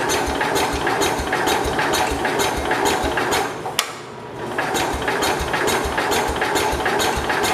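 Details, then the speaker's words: 1969 Cub Cadet 105 garden tractor on a small prime of gas poured into the cylinder: regular cranking puffs about two a second with a few firing beats and a pause; it catches on the prime but won't sustain. "Firing, but I don't think I put much gas in it to begin with."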